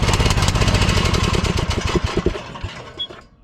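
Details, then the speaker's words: Troy-Bilt Pony lawn tractor single-cylinder engine after carburetor replacement and new spark plug: chugs unevenly, beat stumbling and fading instead of a steady idle; the new carburetor was bad. "Okay. Well, it doesn't seem like it's running very good on this carburetor."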